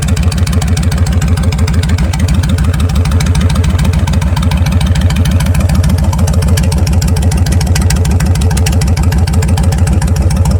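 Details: Vulcan 1500 Classic 1500 cc V-twin with Vance & Hines straight pipes: loud, loping idle with even, heavy thumps about 200 a minute and a heartbeat-like clunk; this clunky beat is normal for the bike.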